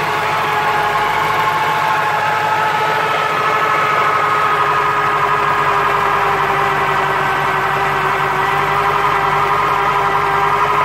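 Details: 1996 Corvette C4 LT4 with ZF manual gearbox idles with a constant whining hum and faint rattle from the gearbox.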